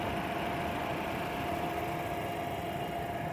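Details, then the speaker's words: 2021 Maruti Suzuki Vitara Brezza LXi 1.5 petrol, heard from outside with bonnet open: quiet, smooth idle hum with faint steady tone, no ticking or knocking; very silent engine; normal idle. "काफी silent engine है इसको बंद करके और इसकी आवाज़ check करते हैं"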